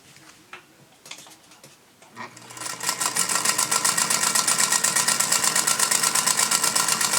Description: I cleaned and oiled the machine and the squeaks are gone now but the bobbin seems to be pretty loud, a lot of clunking when it sews.